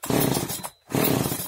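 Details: Oleo-Mac 947 two-stroke chainsaw, which started but stalled without choke, after fixing an air leak at the fuel line and readjusting idle and high mixture: revs hard twice with short drop between, crisp, no stumbling; running healthy.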